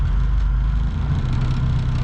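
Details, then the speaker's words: Honda Civic EG with new Skunk2 Pro intake manifold and 70mm throttle body, no intake fitted so air suction is audible, coolant still cold after start; steady, even idle around 800 rpm, no misses or knocks. "so of course the throttle body is a bit loud there's no intake on it so you can hear it sucking in air look at that idling around 800"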